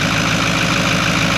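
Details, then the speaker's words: Cheap 6.4 Powerstroke diesel truck bought as a gamble, first start: a steady idle with a rushing, hissy whistle over the clatter. The unexplained sound is suspected to be the main turbos but unconfirmed; the engine otherwise seems good. "What was that sound? I don't know what that sound. I think it was the main turbos."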